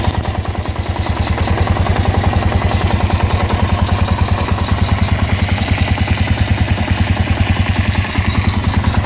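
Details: Kawasaki KLR650 at idle making strange noises since the winter break: a hard, regular knocking/grinding about three per second in time with the engine beat. The source is unknown.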